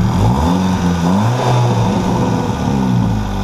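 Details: VW GTI Stage 2 with aftermarket downpipe: raspy, blatting revs like a lawnmower from a massive exhaust leak as the supplied downpipe gasket failed totally after a week; to be replaced with an OEM gasket.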